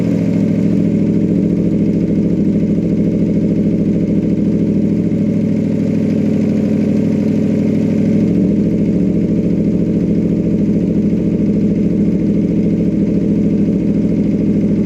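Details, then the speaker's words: 2014 Aprilia RSV4R at idle, exhaust servo flapper valve actuated from open to closed: note changes partway as valve moves, pipe turning more muffled; valve stuck closed had caused major power loss. "You guys can hear the difference there, but it's definitely a noticeable sound difference closed compared to open."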